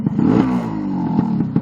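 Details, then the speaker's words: New two-stroke engine during run-in, rich screw backed out two turns: quick rev blip at tick over, then the revs drop straight back to a steady idle with no hanging; mixture set right. "can you hear that it goes straight down immediately back down to um take over again that's how I like it"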